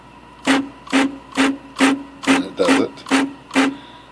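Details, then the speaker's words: IBM Wheelwriter 6 Series 1 (early version) typewriter: loud buzzing bursts only when the carrier moves two spaces, forward or backward, with tabs set every two; one- or three-space moves are quiet. "it's making a weird noise only when it spaces to spaces so let's say I returned back to spaces that noise"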